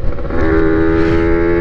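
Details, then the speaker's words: Honda NSR80 two-stroke after head gasket replacement, which made the mixture richer; main jet changed 145 to 140, still possibly slightly rich: steady clean drone at constant pitch without stutter or four-stroking; running well. "私なぁどちらかというと娘の音セッティングの方が好きなんですよこれ免除とな薄くすると甲高いな排気音に乗って気持ちいいんですよ"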